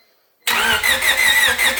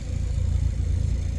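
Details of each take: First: Honda EK with replacement engine, first start attempt after reassembly, airbox not yet connected: even, quick cranking that pauses and repeats but never fires; crank no start, no spark, cause unknown (loose connector suspected). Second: Honda Civic EK with a replacement D-series engine, almost warm and warming to temperature: low, steady, even idle with nothing rattling or ticking; running cleanly with no big issues yet.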